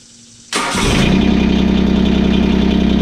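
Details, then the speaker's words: John Deere 2653A reel mower with a Yanmar 3-cylinder diesel, which sat in the woods for at least 6 years. After the fuel was bled, a quick crank and instant catch give a steady diesel clatter settling to an even idle, warming up the oil. "I'm gonna start it up and let it idle for a second to warm up the oil."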